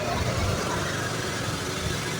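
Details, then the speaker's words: Honda Beat FI (ACG starter) scooter that stuttered (brebet) when pulling away; after a new TPS was fitted, even idle picks up cleanly as throttle is eased open slowly, with no stumbling or hesitation. "Oke, di sini sudah enak ya."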